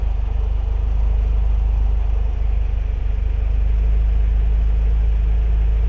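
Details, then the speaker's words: Renault 17 TS with a rebuilt Weber 32 DARA 4T carburettor, automatic choke off: steady, even low rumble with no misses or knocks, idle set to 800 rpm before checking dwell and timing; normal idle. "Voilà, on est à 800 tours. Donc on est à 800 tours."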